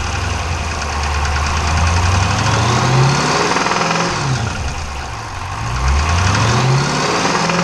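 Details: 392 engine at 1,400 miles: deep rapid knocking, around three per second, rides over the idle and rises with the revs; owner says it sounds like a Cummins; engine knock of unknown cause.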